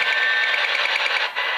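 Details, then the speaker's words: Wi-Fi router and network hard drive radiating RFI, radio tuned to 520 kHz AM: hissy static with fast even ticking buzz laid over it; less bad at 1710 kHz. "here's the Wi-Fi and the network hard drive quite an interesting sound that's on 520"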